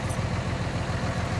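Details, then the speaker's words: Ford F550 with 5.9 Cummins common rail swap, after cleaning clogged fuel filters from rust-contaminated fuel: steady even diesel idle, FASS lift pump no longer buzzing loudly; fuel pressure still a bit low. "well what do you know I don't hear the uh fast pump buzzing loudly anymore I guess that was my problem"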